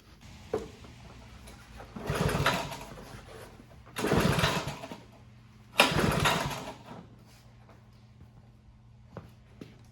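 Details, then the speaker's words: Honda HRB215 push mower, stored for years and not running, after spark plug refitted and gas and oil checked: steady low hum picking up cleanly through three two-second throttle bursts, no sputter or miss; running great. "just kidding as you can hear it's running great"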